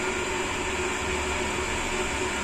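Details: Sanyo/Shimizu jet pump after discharge valve partly closed to stop cavitation: smooth constant hum, steady tone, no gravelly snoring; running cleanly without cavitation.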